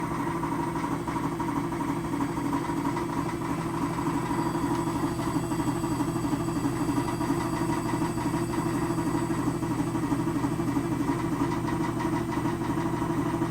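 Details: 2006 GE Adora front-loading washer on spin with a deteriorated spider, a failing drum drive pulley and a bad bearing: a heavy, steady roaring rumble with a quick rhythmic thump, about three a second.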